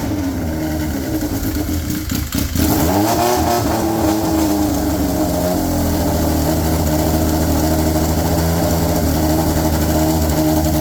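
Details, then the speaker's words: Polaris RZR XP with swapped Yamaha Nytro triple, straight-piped with no muffler: catches, stumbles briefly, then settles to a crisp steady buzzy idle; running fine. "I kind of like the sound of it you know it's not super loud being straight piped it sounds awesome yes it does"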